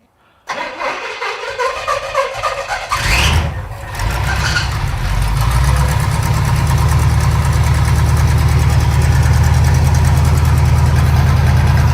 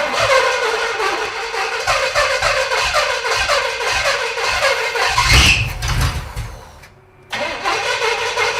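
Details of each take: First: Pontiac T-37 V8 project, carburetor leaking and mixture just richened: cranks, catches quickly and settles into a deep, steady idle with no stumble; smoke comes from leaked transmission fluid on the header; sounds healthy. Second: Junkyard 1937 Pontiac engine catches and runs rough and uneven for several seconds, then dies; it may now be picking up gas from the tank, and ignition is set to only about 10° of timing: starts and runs briefly from retarded timing and fuel starvation.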